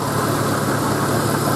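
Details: 1991 Jeep Cherokee XJ Laredo 4.0L High Output six, warm, after new fuel pump and fuel filter (still needs head gasket); smooth even steady engine note without stumbles or surging; running cleanly, fault was just the fuel pump.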